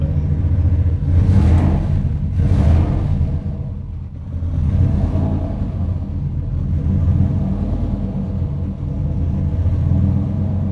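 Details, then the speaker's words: 1998 Lincoln Mark VIII, freshly built forged 4.6L four-cam turbo V8, first start with no coolant and no leaks seen: the deep rumble rises cleanly in two quick blips and settles back to an even idle; normal free revving. "I might have something here 8 sounds smooth I don't see any leaks I'm going to rev it I'm going to rev up a little"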